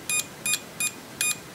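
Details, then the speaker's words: Multimeter with continuity and diode test on a combined range, probes shorted: four crisp high beeps in under two seconds in a quiet room; continuity beeper responding normally. "Ich brauche dann nicht amstecken und es reagiert sofort. Klemen zusammenu Kdiotentest 003 Volt ist klar der Spannungsabf an den Messleitungen hat ein kontinuierlichen Ton"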